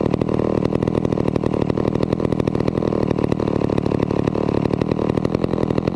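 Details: Vintage McCulloch 250 chainsaw running after a restoration: fast, crisp two-stroke putter holding a steady, even beat with no stumbling or misfires; runs properly.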